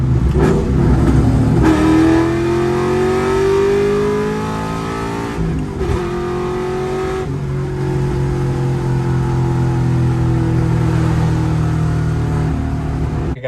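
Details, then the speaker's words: Ford Mustang Cobra with a breaking-up problem, during a 3-4 pull: rising note breaks up and dips around the shift, then stumbles before picking up; cause not yet identified. "you'll hear as I shift from 3 to four you'll hear it almost like backfire and stumble when you get back on throttle it has like nothing and then all of a sudden it just w wakes up and it starts going again"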